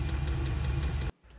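Steady low roar from the burner and fan with faint light ticks over it, then it cuts off; the heater is running normally at full heat.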